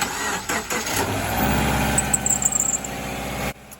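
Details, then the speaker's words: 2011 Subaru Forester turbo: the engine cranks and starts, then a burst of sharp, high chirping squeaks; the owner suspects the serpentine belt, which he suspects also squeaks when the steering wheel is turned. "did you hear that we've got a squeaky belt I suspect when I turn the steering wheel it also squeaks so I think it's that serpentine belt right back there"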